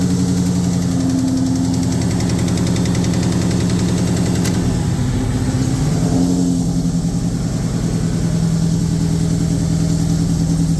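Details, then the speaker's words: 2003 SVT Cobra, first start of a freshly built engine: fast light tapping over a lumpy idle, following engine speed; still present with the supercharger belt removed, seems to come from the valve cover, top end suspected. "Started off really good, and started hearing a little bit of a tapping noise."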